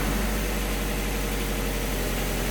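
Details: Project car warming up after a coolant leak repair, heat-cycling to burp the radiator, with a sensor indicating more antifreeze is needed: smooth, even low idle rumble with no knocks, ticks or hunting; normal warm-up.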